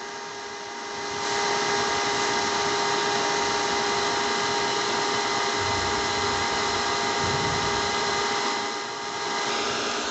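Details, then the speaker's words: PC running with its cover on: a loud, continuous, steady whirr from the cooling fan. The cause is given as dust built up in the fan, and the fix is to open the case and clean it. "आप सुन सकते हैं कि PC में से कितनी loud sound आ रही है और ये कंटिन्यूसली साउंड इसके फ़ैन में से आ रही है।"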